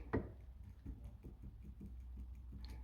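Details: Toyota Camry ACV40 with an ideal steering column and new rack still has steering play: dull wooden ticks, two or three a second, as the wheel is rocked. The cause is worn intermediate shaft splines; an earlier repair lasted half a year or less, and the fix is a metal clamp.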